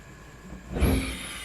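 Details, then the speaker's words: Thai household gas stove burner on high setting: quiet hiss then sudden loud whoosh and thump with flame flaring out the side; no problem on low to medium; burner cap seating groove suspected, not confirmed. "มีเสียงดังพึบพร้อมกับมีไฟแลบออกมาข้างๆนี้นะครับน่ากลัวมาก"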